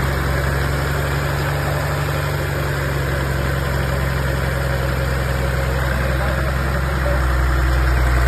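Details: Toyota 1HD-T diesel, car jacked up, in gear at 1400–1600 rpm braked to load: steady drone with uneven metallic tick; knock persists despite new big-end bearing, set tappets, even 480 psi compression; cause unknown.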